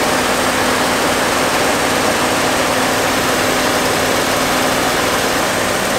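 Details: 1969 Fargo 500 dump truck, first start after long storage on gas poured into the two-barrel carb: steady even roar with a hissy top, no stumbles; the V8 keeps running, smoking with a slight exhaust manifold oil leak.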